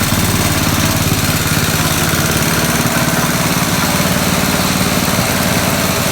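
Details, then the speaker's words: 1969 Locke reel mower, long stored, single-cylinder engine after carburetor work, not fully tuned; steady, even, fast chugging with no misses, running normally. "after messing with the carburetor i got it running pretty good not 100 gotta fine tune it a little more"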